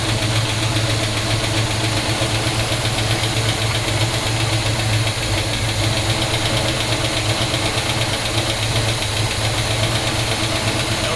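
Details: 1971 Pontiac GTO first start in 5+ years, new gas tank: steady, even V8 idle with a firm low rumble, no knocks or ticks; 60–70 psi oil pressure while running, headers burning off dust. Normal idle.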